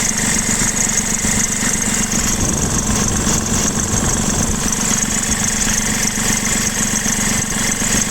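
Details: 2016 BMW F20 116d diesel at idle: constant high-pitched squeal over a steady idle, not changing with the beat; accessory (ribbed V-) belt drive slipping, persisting after both belts and tensioners plus the AC compressor bearing were replaced.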